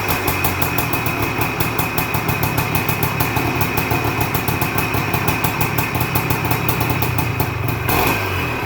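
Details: 1978 Suzuki PE250 two-stroke, first cold start after year-and-a-half rebuild: crisp, fast, even popping at steady idle with no misses or knocks; rebuilt engine running cleanly, normal idle.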